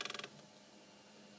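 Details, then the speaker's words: Delta Quantum Kossel M 3D printer build, extruder stepper motor: a brief burst of ratchety clicks. Either something binds or the motor driver's power setting needs adjusting. Cause unclear. "Là, on entend le bruit, donc ça c'est soit ça coince,"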